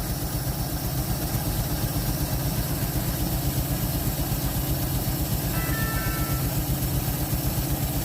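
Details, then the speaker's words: 1948 Chevy inline six, off the road since 1968, just restarted and pulling fuel from the tank on very old gas, no choke: smooth, even low rumble with steady firing and no knocks or misses; running like a sewing machine, idle later picks up, normal. "this thing is running like a sewing machine after all these years"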